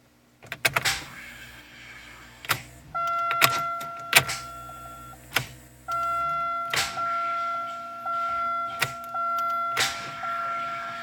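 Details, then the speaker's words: 1999 Pontiac Grand Am with failing starter, after tapping the starter: bursts of slow, strained cranking whir between clunks, engine almost catching but not firing; failing starter. "It wants to. Okay. Almost turned over there, so I'm going to try it a little bit more."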